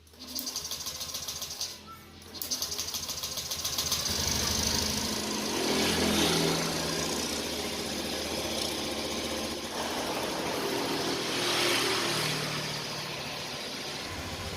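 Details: Honda Beat fuel-injected scooter started after a home service, left to idle five minutes to check the work: brief start, then an even, quick single-cylinder idle with no odd knocks. Normal idle.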